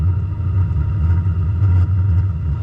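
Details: Diesel heater with compressed air injected into the fuel line for atomization, at a very minimal airflow, just after ignition: steady low roar with an even fan hum and no surging or popping. Burning cleanly; normal running.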